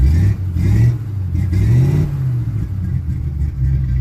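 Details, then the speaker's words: 1967 Chevy C10 V8 after fitting a new Wix gas filter, checking for fuel leaks: revs climb and fall smoothly with crisp throttle response and no stumble or misfire; runs clean and better than before, no leaks. "sounds a little better. Alright, y'all are my witnesses. I don't have no leaks. That already sounds like it's running a little bit better."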